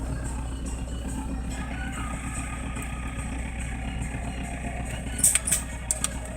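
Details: Toyota Land Cruiser HDJ80 diesel with mechanical injection pump and direct injection, just after a cold start at -20 °C: low, steady rumble at idle, even and unbroken with a few light ticks; a healthy cold idle.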